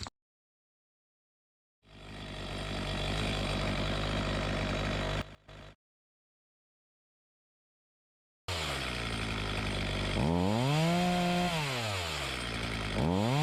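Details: Homelite 4218C chainsaw that had bogged and stalled, after the carburetor was tightened, its screws adjusted and fresh fuel added; two-stroke buzz holds a steady idle, then revs cleanly up and down without bogging; runs healthy.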